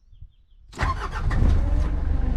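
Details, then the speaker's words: 1994 Mitsubishi Delica diesel automatic, high mileage, cold start: short crank, then catches at once and settles to a steady even idle clatter while warming up; no misfiring, no smoke, burning clean. "and the engine is idling and inside the good cold idols diesel is warming up no misfiring yeah it doesn't smoke engine is burning clean"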